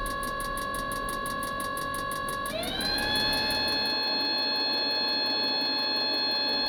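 Steady fast ticking, about four a second, over a motor tone that jumps up in pitch; the heater cranks but never lights.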